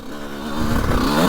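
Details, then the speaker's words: 2002 CR125 two-stroke ridden after port work and carb rejetting: crisp rise to a clean, sharp howl under throttle with no stumble or rattle, jetting sounding right; normal revving, now screaming. "she screams now yeah it feels good that feels really good"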